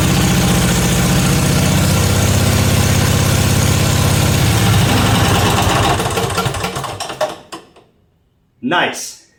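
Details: Briggs & Stratton 16 hp 479cc Vanguard V-twin in an off-road go-kart, straight-piped, after carburetor deep-cleaned: loud even steady idle, regular firing, then clean shutoff (no kill switch fitted); runs really good.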